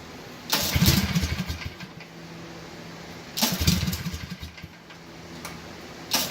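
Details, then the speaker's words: Kawasaki FH series single-barrel-carburetor V-twin, previously idling rough: after a carb adjustment screw is turned out with the engine running, it idles smoothly and revs cleanly between quick throttle blips without stumbling. "want to listen for is it to stop smooth a postcard right there and you should be able to rev it up without a problem"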